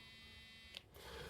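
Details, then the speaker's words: Firing-device line continuity test (works to about 750 ohm) gives a brief steady buzz with light indication, confirming the line is intact. "Як ви чуєте, є вібрація і є світоіндикація того, що що нам засвідчує, що лінія"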